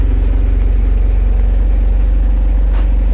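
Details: Ford Everest diesel started to check alternator charging after it failed: battery 12.4 V before, 14.3 V running. Deep, even idle with a steady rhythmic beat, no knocking, squeal or grinding. Healthy idle.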